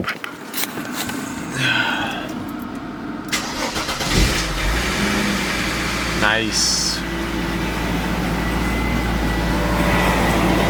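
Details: Mercedes C36 AMG (W202) after fitting W203 fuel lines: cranks, catches after about four seconds, settles into steady, even idle, no stumble. Normal idle.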